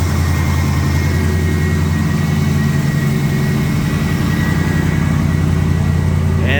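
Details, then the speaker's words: AMC 360 V8, freshly resealed valve covers and oil pan, cold start at about 20°F after two weeks off: steady idle with a quick light tick, about two a second, over the rumble; exhaust leak. "uh the ticking that you're hearing is an exhaust leak so let's go check out to see if it's leaking start with the valve cover"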